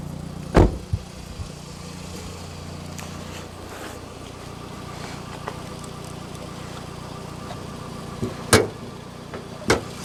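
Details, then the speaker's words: 2009 Toyota Estima Hybrid, UK import, with code P0A80 (replace hybrid battery pack) and HV battery temperature sensors reading unevenly. Steady low petrol-engine idle that never shuts off, because the high-voltage hybrid battery is failing. "And as you can see, the engine is still running, it's not turning off. You might be able to hear that, but it's still running."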